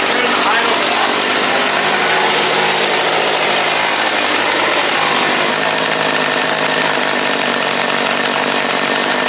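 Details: Stihl chainsaw bought as a non-runner, after the carburetor was cleaned and reset to the old settings: a loud, buzzy, steady two-stroke drone holds high with no throttle, so the carburetor idle is set too high.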